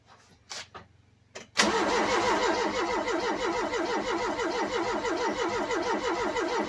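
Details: Ford Cortina cranking evenly at roughly three compression beats a second with no firing or catch, right after fitting a brand-new fuel pump and priming; fuel reaches the filter but leaks; cranks but won't start.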